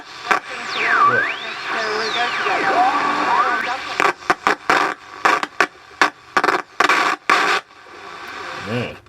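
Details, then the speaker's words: 1980s Hanimex radio, HR1300 or HR1225: whistles sweep as the dial turns, then audio cuts in and out with harsh scratchy crackles; a dicky switch was noted and the owner suspects a dodgy tuning capacitor. "Probably a dodgy tuning cap as well."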